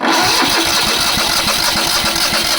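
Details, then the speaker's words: Small petrol engine on a crane trailer parked many years, fuel pump confirmed working: steady, even cranking at about five turns a second with no firing, no fuel reaching the carburetor; starved by a clogged fuel bowl, runs fine once gas is down the carb. "Still don't see any Still won't see any fuel down in there as I crank. No."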